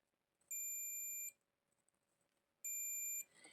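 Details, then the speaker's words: Amplifier with 4440 IC, multimeter continuity test on IC pins; two steady high beeps, each under a second, showing shorts on multiple pins: IC failed, replaced with new 4440. "नहीं दोस्तों, ये जो जितनी भी पिनें हैं इसकी, her pin में मैं जैसे ही टच करता हूँ तो सभी में ये सॉल्टिंग दिखा रहा है, यानी कि ये आईसी भी ख़राब हो चुकी है।"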